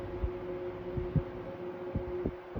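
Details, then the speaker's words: 1973 Frigid (Mitsubishi) 16-inch GT16-S oscillating fan, medium speed: steady hum with irregular soft clunks about twice a second; rotor rattle, cause unknown, thought to fade once warmed; about 980 ft/min. "Little bit of a rotor rattle sound on the medium speed. [Music] I have some fans that do that. They make that same sound. It's kind of a clunky rattle sound until the fan warms up."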